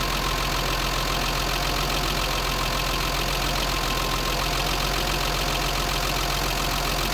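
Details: BMW 325i E30 M20, idling just after valve clearances were set to factory spec: busy tappet ticking at about four per second over steady idle, louder than before adjustment; idle higher than before.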